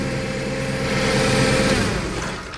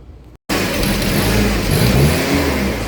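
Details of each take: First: Toyota 7FGU32 forklift, 4Y engine, with the electronic throttle body disconnected. It idles steadily and evenly, showing ignition and fuel delivery work. The erratic-idle fault lies in the throttle and governor ECU control system. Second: Toyota 7FGU32 forklift, 4Y engine, with governor ECU. The idle hunts up and down as the ECU drives the throttle body wide open and then randomly shuts it.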